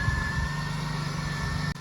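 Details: 2003 Pontiac Bonneville, base model, 3800 engine at 180,000 miles, recently fitted with a new coil and fresh GM coolant, idling after start-up: steady, even low hum with no misses, ticks or knocks; healthy normal idle.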